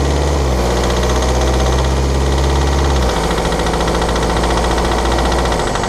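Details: 2013 BMW 520d F10/F11 N47 diesel, cold and under load at 1500 rpm: uneven clattery tick over low drone, shifting as revs change; faulty injector, pinpointed with ISTA test.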